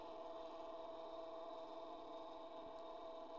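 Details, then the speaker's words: Edison Home phonograph motor: steady thin mid-pitched whine from dry governor felts, going quiet once STP is applied to the gears; governor needs lubrication. "you can hear it whining oh you hear that you hear that get quieter you just put a little on there now it's dead silent and that's what the STP does on this gear to this gear"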